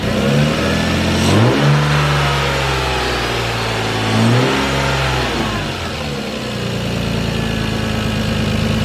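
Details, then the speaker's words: 2002 Lexus IS300 with new spark plugs, still warming up: two quick blips, then the revs sink back lazily over a second or more; owner suspects the throttle cable needs adjusting. "yeah I think I need to adjust the throttle cable"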